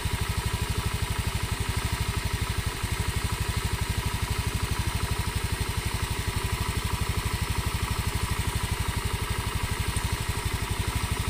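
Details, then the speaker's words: Honda Scoopy single-cylinder scooter after replacing a broken non-standard high-compression piston with standard K44/K46 piston: steady, smooth idle with clean exhaust beat, no knocking; after about 10 km stays stable whether cold or hot. "unit ini sudah saya coba kurang lebih 10 kilo mesin suara tetap stabil tidak ada perubahan suara dalam arti dingin halus panas kasar ini tetap stabil suaranya tetap stabil tidak ada perubahan"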